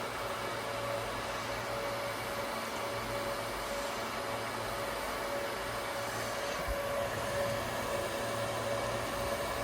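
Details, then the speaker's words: Dell PowerEdge R720 machine-learning server (NVIDIA P100 and P40 build) at power-on: loud steady rushing whoosh with a thin whine as fans spin up; normal boot noise, louder than running. "you can hear just how loud it gets obviously the boot up sound's going to be louder than the running sound cuz it's going to spin the hands"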